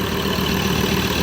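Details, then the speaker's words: Ford Everest 3.2 diesel with brand-new replacement engine, idling during run-in after first start; even steady clatter, no knocks, misses or surging; normal idle. "ได้ยินเสียงกันแล้วนะฮะสำหรับFordเเครื่องยนต์3.2เปลี่ยนเครื่องยนต์ใหม่นะครับ"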